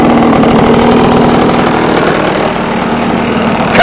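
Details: Scratch-built early-1970s radio-controlled boat, two-stroke engine revived after twenty years unused, water-fed cooling working: steady even buzz at constant speed, no misses or knocks; old engine running cleanly and seems to cool itself.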